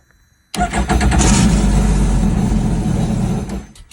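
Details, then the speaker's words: 2021 Sea-Doo Spark that went into limp home mode and would not start, after swapping the relay under the side cap cover: quick crank, instant catch, steady even run for about three seconds; starts cleanly and runs fine. "and it fired right up. So that's what you can do."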